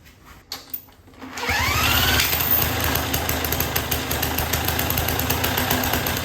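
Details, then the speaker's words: 1958 Lawn Boy 5200 Deluxe two-stroke mower after carburetor cleaning, with good spark and a new fuel line from a temporary fuel source: catches after a few pulls and settles into a fast, steady, even buzzing run; runs normally. "well it runs okay well there you have it this one wasn't too difficult it runs"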